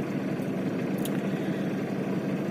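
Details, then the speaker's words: Mitsubishi diesel after replacing the starter solenoid with a new original part, glow plugs allowed to finish before cranking: starts immediately, then steady even idle with smooth low rumble, no knocks or misses; normal diesel idle. "Oh ya langsung bisa starter normal ya Lur"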